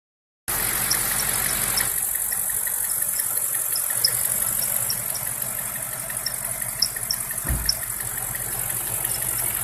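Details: BMW X5 E53 4.8is with N62 engine, cold engine only: faint, irregular high-pitched squeaky chirps over a steady hiss, an engine whistle/squeak that occurs only when cold.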